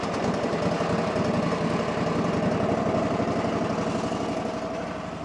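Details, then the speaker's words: Ford tractor engine after adding fresh gas: rough pulsing idle that sags and tries to die when opened wide, improving; owner suspects remaining dead gas, letting it idle to clear; filters and oil due for service. "And I can tell it ain't quite running just right, but it's getting better. Hear that? And there tries to die out though when you go wide open with it."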